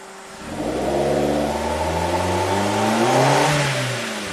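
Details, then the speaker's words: 2008 Suzuki SX4 with low power, free-revving at full throttle: revs climb unevenly, stumble and misfire at the wall, then pull through. It bogs under half throttle. Cylinder 4 disconnected had let it rev through; cause unconfirmed. "You have to full throttle it to get it through that wall. But it does go through it. We'll miss fire right at the wall."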